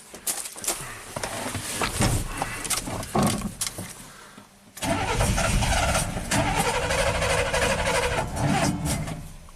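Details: 1987 GMC Sierra V8 plow truck on booster pack with fuel pump jumped, about 10 psi: starter cranks in uneven bursts, catches briefly but never runs on its own; fuel delivery being tested.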